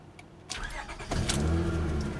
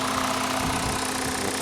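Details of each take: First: Car with 243,321 miles and many dash warning lights, including check engine; cranks and catches, then an uneven, lumpy, shaky low idle; bad exhaust smell, so an exhaust leak is suspected, not confirmed. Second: Jetta with the 2.5 five-cylinder, possibly missing an air box and with a structurally poor body; new battery; steady, even idle hum with no knocking or missing beats; seems to run okay.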